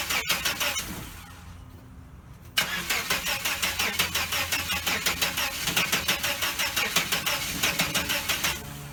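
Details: 1989 Chevrolet S10 Blazer, work in progress, won't start after everything was reconnected: the starter cranks at an even rapid chug, about three beats a second, but the engine never catches. The owner suspects cables or an electrical fault; unconfirmed.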